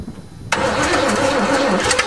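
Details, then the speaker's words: Hydrolocked Chevrolet, one cylinder had water, on choke and then less choke, with some spark plugs still wet: cranking, a sudden catch at half a second, then a ragged, uneven run, barely firing. "now remember some plugs are still wet"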